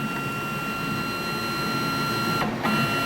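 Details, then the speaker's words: Grizzly G0602 CNC lathe conversion, Mach3 Turn tuning of the X-axis stepper retract move with acceleration at 45: a clean, steady whine with no stutter or grinding. It accelerates well, moving smoothly without binding or skipped steps. "you can see it sounds good it's smooth it accelerates well"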